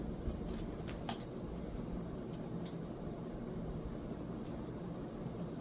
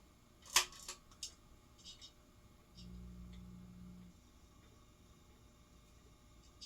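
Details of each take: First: Vintage Italian Razzetti 46-inch porcelain-housing ceiling fan on high, about 250 rpm, one blade arm slightly bent: smooth steady rush of air with no ticking, rubbing or wobble; normal running. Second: Razzetti porcelain-housing Italian 46" ceiling fan, after reassembly: low steady hum after switch clicks instead of quiet solid-state running; owner suspects wiring reversed so motor gets DC, otherwise performs fine.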